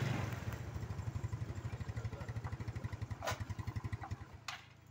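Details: Motorcycle with a battery that keeps draining, checked for charging and current leakage: it starts quickly and the starter turns lightly, then settles into an even, low thumping idle at about eight beats a second with no misses or knocks; normal start and idle.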